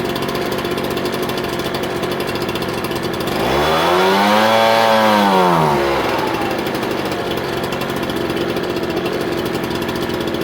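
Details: Ryobi BP42 backpack blower two-stroke after hard-start fix (leaking return fuel line replaced, top isolating block loose), reassembled and primed: revs up smoothly to a high whine, holds, then drops back to steady idle without stumble; running healthy.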